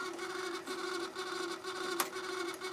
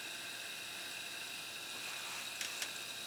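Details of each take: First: Harman Kardon CD 191 cassette deck before repair, heads stuck up, eject jammed; continuous buzzing grind with rough rhythm about twice a second, nothing moving, transport mechanism grinding. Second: Harman Kardon CD 191 cassette deck after transport mechanism repair: smooth, even whir with steady high tone, no dragging or slipping; good rewind torque.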